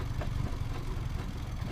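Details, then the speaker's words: Boat outboard engine idling with choke off: low steady putter, even firing, no hunting or surging; owner had run the choke on because idle was too high; sounds good, normal idle. "Is that idle? Yeah. Yeah, that's good. Is that with the choke on? Huh? That's with the choke off? Yeah. Nice. Yeah, that sounds good."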